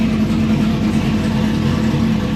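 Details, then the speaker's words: Supercharged V8 with a small blower cam, after a flash tune and following a hesitant push-button start: an even, deep burble at idle with clean rev rises and no knocks or ticks. It runs and sounds good. "uh yeah that sounds pretty good for a little blower cam"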